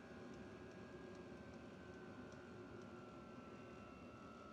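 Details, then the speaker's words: Vevor 5–8 kW diesel heater: steady airy blower rush with a faint whine easing lower as fan gear is stepped down; fan slows smoothly and evenly. "you can hear that the fan is slowing down significantly."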